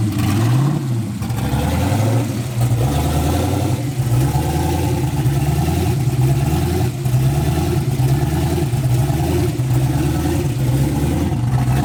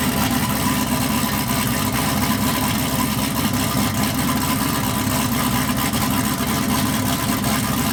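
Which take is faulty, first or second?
first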